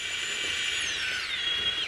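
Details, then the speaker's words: Crawler drive motor running in second gear: smooth, clean high-pitched whine sweeping down as it slows, with little gear noise and no grinding or clicking; quiet, high-torque, healthy motor. "and in second gear you can hear M how much of its gear noise that's a quiet motor and there is a lot of torque in that motor as well"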